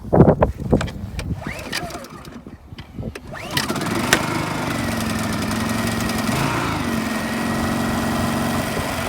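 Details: Honda EU2200i Companion generator after oil change, having run out of fuel, choke on: a few rough pulls, then catches and settles into a steady, even hum with no stumbling; normal start and idle.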